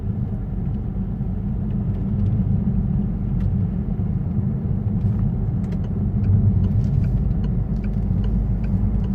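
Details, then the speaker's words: Peugeot 508 2.2 HDI diesel accelerating at full throttle in third gear: a deep rumble with no turbo whistle at all. The car has no power and underboosts because the variable geometry vanes inside the turbo are stuck in one position. "so basically geometry inside the turbo is stuck in one position"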